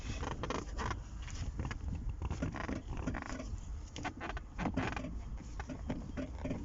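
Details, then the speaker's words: Zotye T600: irregular dry creaks and scrapes in bursts from the rear suspension as it moves. The squeak appeared after the wheels were replaced and the car was lifted on a hoist; the owner is unsure of the cause. "вот скрип значит появился после того как я заменил колеса я не знаю как это связано или не связано с этим"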